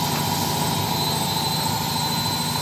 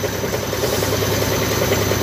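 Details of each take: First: Side-door (front-load) washing machine at maximum spin with a load after repair, now quiet with a steady even whir and no banging; earlier heavy vibration was caused by a loose top counterweight over the motor that had slid backward, re-secured. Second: Side-door (front-load) washing machine during spin, heavy fast rhythmic thumping and strong shaking; drum counterweight loose.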